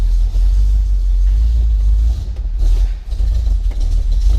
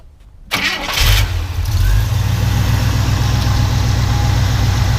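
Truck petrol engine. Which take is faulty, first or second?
second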